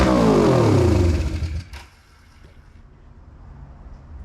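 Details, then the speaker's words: 1981 Yamaha XS400 Special twin after carburetor float rework, first start: fires straight to a high screaming rev with no throttle input, then drops off abruptly when shut down; throttle stuck pinned open. "Not supposed to happen. The choke is Oh, the throttle is stuck. It was just pinned. Well, it fired up."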